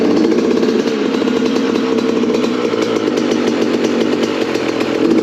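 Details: Yamaha YZ85 two-stroke dirt bike after its carburettor was cleaned and its jets unclogged: a crisp, steady buzz at fast idle holding an even pitch with no misfires or stumbles, running normally.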